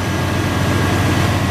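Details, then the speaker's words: Chevrolet/GMC 350/305 V8 truck idling hot after a distributor cap and rotor replacement: steady even low rumble with no skipped beats. Way smoother than the last crank, normal idle. "I don't know what it is today but it just got like really really hot smooth man way smoother it's jumping last time I cranked it that's good"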